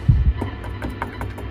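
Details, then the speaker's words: 2013 Tone King Falcon guitar amp: a steady low hum with scratchy clicks from the speaker, sensitive to touching the input jack, knobs and cables. Grounding issues are blamed on ungrounded control pot casings, with a simple grounding fix planned. "Yeah, so definitely kind of grounding issues in this thing, and what I want to show you is a very simple fix for that problem."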